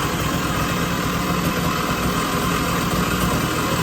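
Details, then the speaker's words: 1980 Puch Murray moped with a Tomos A35 top end, Mikuni VM18 carb and custom Estoril pipe, just after its first start at -7 °C with the engine super cold: loud, buzzy steady fast idle with no misses; carburettor jetting still needed. "And the engine is super cold. It's currently -7 degrees outside, so it's probably gonna take a little while to warm up."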